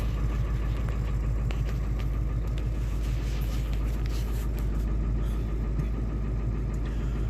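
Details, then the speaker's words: Ford 7.3 Powerstroke diesel at steady cold idle just after a successful cold start, following injector shimming to factory clearances; deep even rumble with no knocks or stumbles, healthy. "let's try to strike a little couple times hey that bite had done it oh I'm so excited"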